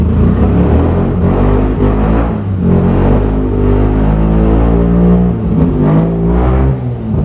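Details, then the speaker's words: Mazda RX-8 13B rotary, exhaust undone: revs with a lumpy, uneven note and ragged pulse; front rotor wasn't firing and owner suspects no compression there, hoping heat cycling helps; misfire on one rotor. "it's like it's the front rotor because that one wasn't firing I couldn't compression test it properly but to me it's got no compression on the first cylinder"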